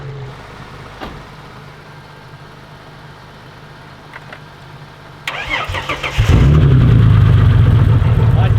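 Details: Car in a paddock: quiet, then a short burst of cranking, catching around six seconds in and settling into a steady, even idle; starts cleanly.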